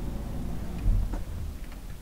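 Soft, even tick-tock at a steady beat under a low room hum, a clock movement running normally with the pendulum in beat.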